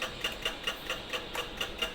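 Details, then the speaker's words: 16-inch Hatari fan fitted with a different-model Sharp replacement blade: light sharp clacks four or five times a second as blade turns, blade catching on the housing edge; fan blade rubbing on housing. "กดได้ยินเสียงแก๊กๆๆนะครับนะครับเหมือนจะรอดและไม่รอดแหละนะครับก็คือใบมันติดนั่นเองนะครับมันติดขอบนะครับ"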